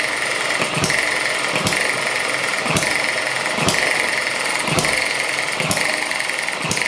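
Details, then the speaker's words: ET6 model hit-and-miss engine on two-stroke fuel mix, first run after a faulty HT lead was found: sharp firing bang about every second with quiet coasting between; running normally. "oh it's firing it's running oh it's a it's running oh brilliant"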